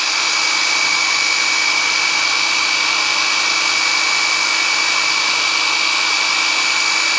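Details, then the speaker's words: 1984 Ford 351 Windsor V8 from an F-150, stored about 23 years. The oil pump is turned counterclockwise with a drill to build oil pressure before first start. A constant, high, steady drill whir. "counterclockwise. There we go. Building oil pressure."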